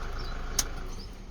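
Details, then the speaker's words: Toyota Fortuner 3.0 D4D diesel after timing belt replacement, quick restart: one brief click then short quiet even low rumble, settling smoothly; normal idle. "So it's sounding very good. Sounding very good. All right, so switch it off, start it again. Quick start. That's what we want."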